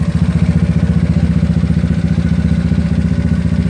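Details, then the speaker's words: GY6 scooter with OKO PWK 30mm carburetor, mixture screw backed far out: low idle chuffing in heavy pulses near four a second, sagging as if about to die; lean idle. "bit more kamar but almost dying so god be careful between sound and Conor and almost bought to die means likes on his last breath"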